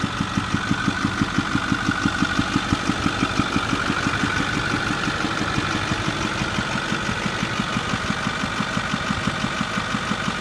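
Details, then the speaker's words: 2008 Ford F250 6.4 Powerstroke diesel, about 81,000 miles, idling: sharp regular pop about 90 a minute heard from the front through the intake and air filter box; worn rocker arms from fuel-diluted oil due to regens and lack of maintenance. "Here's the noise from the front. It actually is going through the air filter box. You can hear it more by the air filter. And it gets worse than this."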